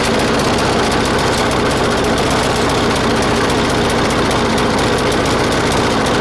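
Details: 1996 Murray 20-inch mower, 4 HP Briggs & Stratton, cold start at 3°C after 10 months sitting, bad primer bulb. It runs loud and ragged with uneven, stumbling firing. Owner says it is not getting enough fuel and a different idle spring was fitted; it may need spring adjustment.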